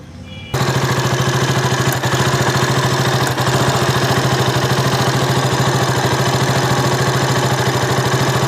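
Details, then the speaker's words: KTM RC 200 that stalled at idle and when the clutch was pulled, recorded before the fix: fast, uneven tick-tick firing over the single-cylinder exhaust pulses, with a sparking sound. Misfire traced to a loose, unseated spark plug cap. "കാര്യം നമുക്കതിൽ നിന്ന് ഒരു സ്പാർക്ക് അടിക്കുന്ന ഒരു സൗണ്ട് കൂടെ, tick tick tick എന്നൊരു സൗണ്ട് വരുന്നതായിട്ട് ഫീൽ ചെയ്യുന്നുണ്ടായിരുന്നു. ഒരു എവിടെയോ ഒന്ന് പ്രോപ്പറായിട്ട് പോകുന്നില്ല എന്നൊരു തോന്നലുണ്ടായിരുന്നു."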